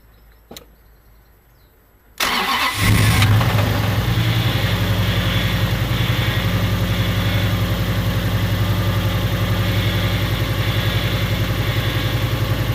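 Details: Toyota 1UZ turbo V8 in a car, in neutral, after rattling on track: fires and settles into a busy idle with a regular rapid knock over the exhaust beat. Big end bearing failure, blamed on poor, hot, wrong-grade oil; metal found in the oil.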